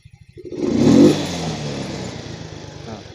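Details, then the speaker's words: Yamaha Mio M3 125 injected scooter after replacing faulty ECU with a good one: idle putters, then quick clean rev rises in about half a second and falls back smoothly with no bogging; throttle response now healthy. "Saya akan memulainya, dan tanggapannya akan terdengar sangat bagus. Saya jamin itu."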